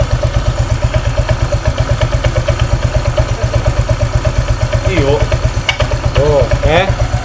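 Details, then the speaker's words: Honda Vario 125 scooter at idle: thin, chirping squeak rising and falling with the beat from the left-side CVT. It is louder at first crank and at shutdown. A ring in the CVT area was forced on and installed in the wrong order during earlier work. "saat e pertama kali dinyalakan di sini muncul suara Crit dan setelah nyala tuh pak saat stasioner langsam Dengarkan baik-baik"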